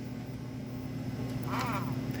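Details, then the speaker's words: Breadboard smoke-unit puffer fan on a chuff board fed 6 V DC through a rectifier and regulator: faint steady idle-mode fan hum blowing over the heater, then a short rising whir each time the cam chuff trigger hits; working normally. "hear that noise that means the fan is revving up when it's triggered every time it's triggered it revs up"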